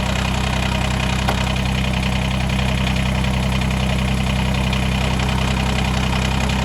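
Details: Kubota BX2380 diesel tractor after removing a tiny piece of silicone gasket maker blocking the PTO, mid PTO engaged with no implement: steady, even idle chug with a firm low rumble and no misses; normal running.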